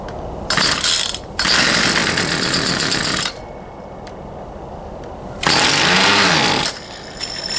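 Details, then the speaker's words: Poulan Pro 222 38cc chainsaw that won't start, fuel return line previously found missing: rapid rattling pull-start cranking with brief sputters, never catching; suspected carburetor fuel delivery issue, later traced to misrouted fuel lines. "he's wanting to run I'm not sure what we got going on I believe we still have a carburetor field delivery [Music] issue"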